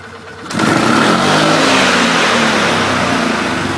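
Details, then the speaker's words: 2011 Polaris Sportsman 500 HO ATV after air box/intake modification, warmed at idle: quick full-throttle burst snaps cleanly to a strong, even rev with no stumble or bog; no longer hesitates as before, seems to rev higher. "So actually it doesn't hesitate like it used to before."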